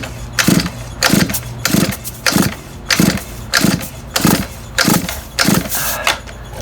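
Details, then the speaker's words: Shindaiwa F22 2-stroke weed trimmer, thumb-over-spark-plug-hole compression test: repeated pull-cord cranks about every 0.6 seconds, each with an even puff of air escaping under the thumb; adequate compression on pull-start cranking. "all right maybe you could hear that escape i mean it didn't actually push my thumb off but air was uh was escaping out from underneath the thumb"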